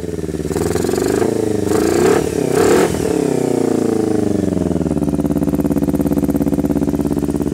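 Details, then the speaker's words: Kawasaki Ninja 250R built to 12.5:1 compression, 40 idle jet, 117.5 main jet, needles raised two washers, stainless muffler and mid-pipe, first startup of fresh engine: blips then steady idle sounding thin, weak, flat, like running lean; slight oil smoke as rings not yet seated. "listen for how it sounds kind of weak like it's running lean and you'll see a little bit of oil smoke that's because the Rings haven't seated yet"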